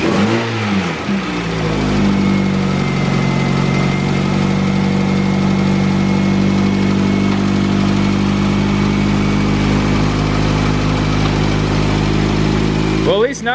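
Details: Engine (LS-themed video) idling after adjustment. It was spitting and running badly earlier and now runs steady and even with no stumble. A very slight tick may come from one valve set a little too loose, possibly.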